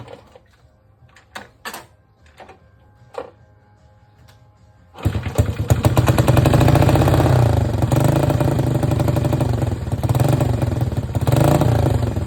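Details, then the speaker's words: Honda CT Trail 90 after new spark plug, battery, fuel lines and cleaned jets: it pops and settles into a fast, steady putter that stays high because the sticky throttle slide hangs open; carb needs tuning. "Okay, so the carb needs tuned a little bit, and the throttle's a little sticky, so the slide stays open, but other than that, it runs good."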